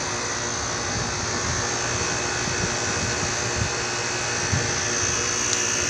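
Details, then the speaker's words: Carrier 38CKC and 38CKB condensers, both in cool mode, compressors believed Millennium scroll: steady fan rush with even electrical buzz, no knocks or surging; both running normally though units reportedly shut down at times. "Here here's the carrier uh 38 CKC and carrier 38 CKB running in cool mode. They're both running right now."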